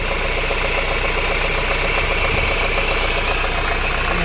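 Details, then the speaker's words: Renault Laguna 3 2.0 dCi diesel idling: a light, roughly regular rubbing tick over the clatter; the owner suspects a bearing and notes it made a rubbing noise when cold. Cause not confirmed. "je veux regarder en bas s'il y a pas une fuite d'huile le roulement il fait du bruit on dirait là"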